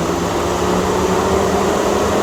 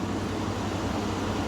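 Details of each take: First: Chevy/GMC radiator cooling fan: a loud, steady rushing roar over a constant hum with no change in speed; fan stuck on high from a temperature sensor fault, cured by replacing the sensor and resetting the battery. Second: Chevy/GMC that had its radiator fan running constantly, after reconnecting the connector and battery reset: steady low engine hum with no fan roar, cooling fan now quiet; normal idle.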